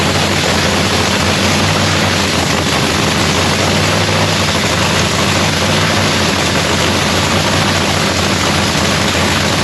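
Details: Lexus race car's supercharged engine at first start of the season in shop paint booth; loud, dense, even roar holding steady with no misses, knocks or stumbles; runs healthy, normal idle.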